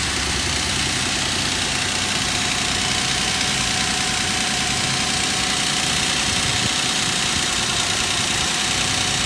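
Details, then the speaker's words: 2006 Nissan Frontier at cold idle with a fast, uneven metallic ticking about three per second; attributed to worn timing chain guides letting the chain hit the tensioner; oil pressure gauge fluctuates once warm, suspected bad oil pump. "they have to be replaced because the time chain is just hitting the tensioner so that's metal on metal dust uh that's the sound you hear"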